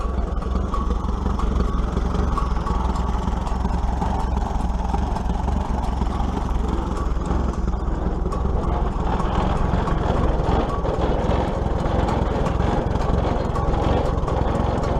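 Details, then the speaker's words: 1941 Case SC tractor after governor repair, driven up a hill. Steady low chugging with an even exhaust beat and no knocks or misses. It picks up on the hill without bogging and runs much better than before: normal running. "I'd have to say it runs much much better you guys can hear that dump him pickup when we go up the hill"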